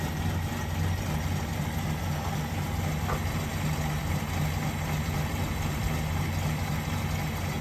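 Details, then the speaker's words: Holden HJ wagon V8 after sitting 8 years in a shed: low, steady idle rumble with an even beat, no misses or knocks; idling normally. "a bit of a play around with it this morning and she's uh banging like a champ fix that linkage up i didn't have to touch the timing"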